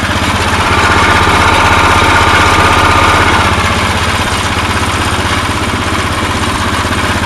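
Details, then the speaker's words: Snow blower Tecumseh single with Chinese carburetor whose plastic float was reshaped by heating, started on choke: steady, even beat around 240 a minute with no stumbling; ran longer than before, owner believes it's fixed. "There you go. I don't think it ran any longer than that before, so I think I got it."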